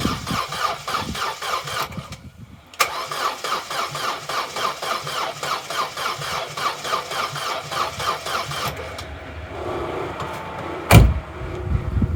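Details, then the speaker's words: Corsa B left standing 4–5 years, cranking attempt: starter churns in a slow, even rhythm of about three compressions a second, never catches; slow cranking, no start; owner suspects the battery, unconfirmed. "it's turning over but it's not turning over as fast as it really should for when you're trying to start an engine I'm still thinking battery"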